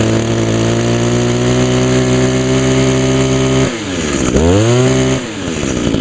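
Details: 2002 Echo SRM 2400SB slip-boom trimmer, 13 years old, started on choke after priming; a little smoky from a fogged cylinder, muffler clean; even buzz that drops and picks back up cleanly with no misfire. Normal running.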